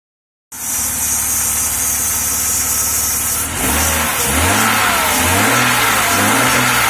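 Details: 1994 Jaguar XJ6 running again after months of no-start, fuel pressure gauge fitted: engine catches and idles with uneven stumbling beat before a few revs; misfire from spark jumping from coil low-tension lead to high-tension lead.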